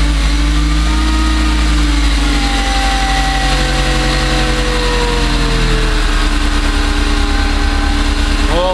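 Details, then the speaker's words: Supercharged Subaru Impreza with throttle body relocated in front of the supercharger, restarted cold after a large vacuum leak was fixed: steady even idle without stumble, then a clean quick rev that settles smoothly; running normally. "sounds pretty smooth to me"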